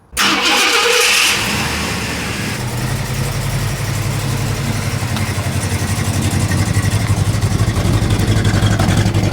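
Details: 1969 Shelby GT500 V8 after blown head gasket and antifreeze-flooded engine, residual antifreeze cleared from exhaust, before test drive: catches at once, settles into steady, even, deep burble with no knocks or misses; normal running.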